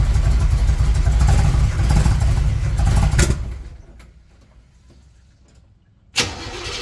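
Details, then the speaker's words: 1978 Chevrolet Monte Carlo V8, rebuilt 2004 with probably under 50 miles, started after sitting a long time: loud uneven running with irregular pops, dies then restarts; kept backfiring, stalling and wouldn't accelerate; owner says timing needs work, also needs plugs and tune-up. "I was having a lot of issues keeping it on it kept backfiring and also it wouldn't accelerate so I know I need to work on the timing"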